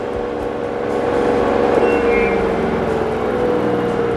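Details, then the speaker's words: LG 8 kg/5 kg inverter washer-dryer combo with direct-drive motor, quick-test spin reaching about 1370 of the 1400 rpm maximum: smooth, even high spin with a steady whine, no knocking or scraping; judged perfect, normal high-speed spin. "It is coming only maximum, it's showing 1370 or 70. It's not showing 1400, but it is okay, it's perfect."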